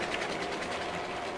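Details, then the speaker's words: Model railway freight train (British diesel models hauling wagons) just after coupling: busy rhythmic wagon clatter with an uneven rattling tick, sounding like a derailed wagon wheel off the track. "our first successful bloody coupling of the day can you believe that sounds to me like there's a wheel off somewhere"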